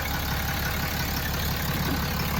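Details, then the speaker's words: Diesel truck idling after major repairs, checked for leaks and air leaks: steady, even low rumble with no hiss, whistle or knock, everything sounds good, normal idle. "Let me go make sure I don't got any leaks. You want to go listen. Everything sounds good."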